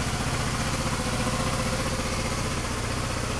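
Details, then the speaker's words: GY6 scooter, about 4,000 miles, just after starter repair (starter was a quarter full of oil with a shorted winding, causing hard cranking, high current draw and battery drain); fires right up and idles with a quiet, even putter, no stumbles; normal idle. "I'm going to give it a try I got this taped so I have to hold it like hold the camera go on fires right up"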